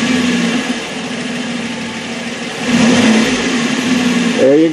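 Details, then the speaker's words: 2011 Ford Edge, 12-year-old exhaust Y-pipe just replaced with a new one: engine idles with a steady, even low note and a throttle blip, no rasp or blowing; exhaust now much quieter. "so Jeff's gonna go ahead and start it we're gonna see how much quieter it is wow isn't that different"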